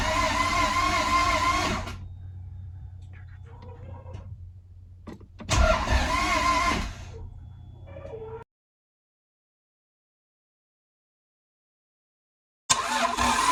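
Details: Toyota MR2 after a manual gearbox conversion, start attempt after fuel pump priming and coil plugged back in. Two bursts of starter cranking around three beats a second, never catches; crank no start. Owner suspects wiring loom, timing or grounding.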